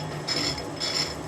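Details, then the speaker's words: Lathe running slowly with the change gears set up to cut a 1 mm pitch metric thread, tumbler reverse fitted. Light steady gear whir with a faint rhythmic meshing rasp; normal change-gear noise, nothing to worry about. "you can hear the gears nothing to worry about"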